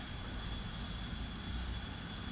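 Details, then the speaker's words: 1990 Onan P218 18 hp twin, engine stopped during leak-down test on the low-compression cylinder (90 vs 120 psi): steady even hiss of air escaping at the exhaust port; exhaust valve leaking, suspected carboned up. "yeah definitely get some leakage here in this this exhaust Port the exhaust port's leaking I could hear it"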